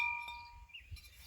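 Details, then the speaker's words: Tapped bisque bowl from an Olympic 2831G updraft gas kiln: a single clear, high bell-like ting that fades in about half a second, a little higher than another bowl; the bowl is sound and uncracked. "so you can you can hear the difference here on the ting it's a little bit higher on these hear that"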